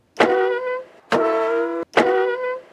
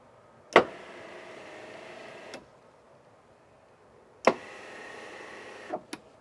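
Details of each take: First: Winnebago Revel EuroLoft motorized bed moving up: three loud tonal squeaks under a second each, worse after the bed sits in one position a while, traced to the belt at the brackets; fixed with felt and double-sided tape. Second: Winnebago Revel EuroLoft electric bed after the squeak fix with felt and double-sided tape: two short runs, each starting with a click and holding an even motor hum, no squeaking; normal quiet operation.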